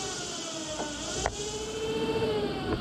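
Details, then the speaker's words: Generator on a VW air-cooled 2332 stroker, 1968cc, jumpered from battery positive to polarize it: a quiet, steady hum with a faint rising tone as it spins smoothly as a motor; normal motoring. "okay now this supposedly should spin it and it is spinning it you can hear that so that's good"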